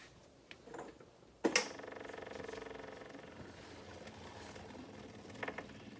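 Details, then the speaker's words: John Deere 1025R subcompact tractor after primary fuel filter change, fuel line turned back on; a click, then a faint steady electric buzz as the fuel pump fills the new filter. Normal priming. "you go filled up nice there you can still hear the pump going a little bit"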